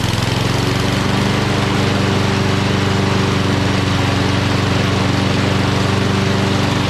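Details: Curbside Toro Recycler XT675 self-propelled mower with Kohler engine, started on fresh gas after sitting a couple of days with a dirty, oily carb area: steady, even small-engine drone with no misses or surging; running healthy.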